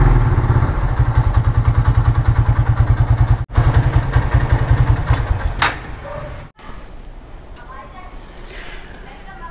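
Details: Kawasaki W175 single-cylinder motorcycle, bought June 2019, 17,192 km, after a battery replacement with a new GS unit: brief crank, then a steady low thumping idle with even pulses, about 200 a minute. Sounds healthy.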